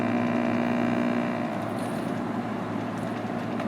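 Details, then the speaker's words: Panasonic RC-76 "Sure Time" clock radio on buzzer alarm with the volume turned fully down. It gives a soft, low, steady foghorn-like drone, much weaker than expected; unclear whether this is normal or a fault. "And let's see if we get an alarm set out of this. Well, we do. It's really quiet. Sounds like a foghorn. It's very interesting."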